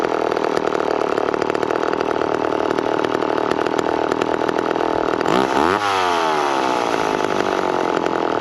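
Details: McCulloch Pro 10-10 Automatic chainsaw while cutting cookies off logs: fast, steady two-stroke buzz at idle, then pitch sweeps as it is adjusted; idle speed set too high, otherwise tuned well and oiling heavily.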